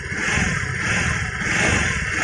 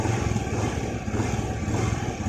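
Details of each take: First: Honda Vario 110 FI scooter, tested without rear pulley, at very light throttle and low rpm: high steady singing whine, indicating a worn crankshaft bearing, unlike gearbox bearing whine that appears only at high rpm. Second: Honda Vario 110 FI scooter after replacing crankshaft bearings, light throttle: steady, even putter with the former whining sing gone; bottom end now healthy.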